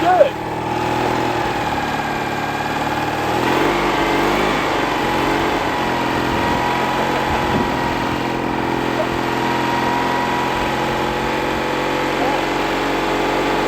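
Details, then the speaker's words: Citroën 2CV flat-twin, just revived after sitting since 2017, carb looks clean, idling: steady, even idle with a smooth buzzy beat, no clatter and no smoke; running healthy with a good spark. "obviously there's a good spark and obviously it sounds good it wasn't clattering and it didn't it didn't plume any smoke"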